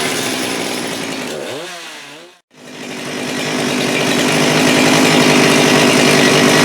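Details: Husqvarna 394 chainsaw with HyWay Titanikel 58mm big bore pop-up cylinder (395 project), cold day; aftermarket carb replacing OEM carb, no load. Brief dip, then a clean, steady high scream at full throttle around 12,100 rpm, up from 10,500-10,900, no bogging: healthy full-throttle running.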